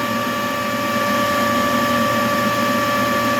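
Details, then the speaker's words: Agricultural spray-drone battery charger, battery at 63% and charging after an error: steady even fan hum with constant tone, no surging or rattle; normal charger cooling fan running during fast charging. "keep an eye on the charger you can hear the the charger humming heavy the fun on the charger is [Music] running that's how they [Music] charge they designed to charge fast"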